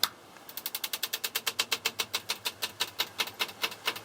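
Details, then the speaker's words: Vintage Airflow Calypso CE250 exhaust fan being switched off: fast, sharp, even ticking, about seven per second, that slows as the fan winds down. The blades are hitting its bent, messed-up grille. "that's just the blades hitting the grill because the grill's kind of messed up"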